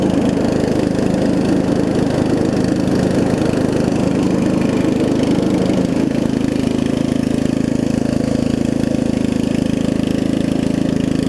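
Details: Murray widebody riding mower with 16.5 hp Briggs single-cylinder engine, after new carb, fuel lines and valve adjustment: smooth, steady running settling into an even low idle with no misses, a little loud from a small exhaust leak; healthy.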